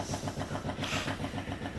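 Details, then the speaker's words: 1971 Triumph Stag Mk1 3.0 V8 manual barn find, first start attempt with wires shorted to crank: steady starter churn of about seven beats a second with no firing or catch; cranks but won't start. "Right, Well, crank's over."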